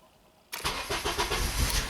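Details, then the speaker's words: 2007 Honda Accord EX sedan, 2.4L K24 engine, restarting after a compression test with injectors stopped and a PCM reset by scan tool: catches and settles into an uneven, lumpy idle; rough start because idle learn is not yet completed. "there we go. A little rough to start up, but she's back running."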